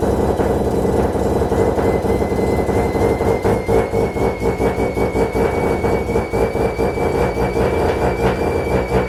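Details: Mazda FD RX7 bridgeport rotary, Hypergear T51R single turbo conversion, first start: very loud, harsh, raspy idle with sputtering pulses and hiss; massive exhaust leak at turbo exhaust housing, V-band clamp not seated properly.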